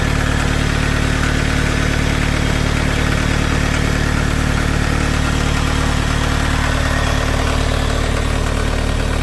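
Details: Toyota MR2 3S-GE engine at cold idle: steady light knock about four per second over the engine hum, only when cold; owner suspects piston slap, unconfirmed.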